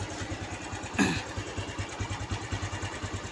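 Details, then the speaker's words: Honda Revo Absolute (Revo Fit, carbureted, non-injection) after backfire repair: even idle ticking over, one brief bump, no exhaust pops; idle clean, exhaust no longer backfiring. "juga udah tidak nembak ya. Knalpotnya sudah nggak nembak."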